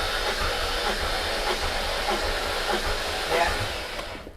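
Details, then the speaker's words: High-mileage supercharged S62 V8 BMW E39 M5 compression test, cylinder reading 185 psi: steady, even cranking with smooth starter hiss and regular low compression pulses; normal cranking. "So that's 185. 185, okay. Cool. Cool. But the battery definitely is cranking."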